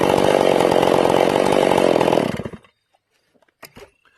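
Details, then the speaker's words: Ported Stihl MS461 in break-in, high jet turned back after a quarter-turn richening: a high, steady, clean and crisp two-stroke scream under cutting load for two seconds, then it drops off. "Now I'm going to turn it back and you'll hear it clean up."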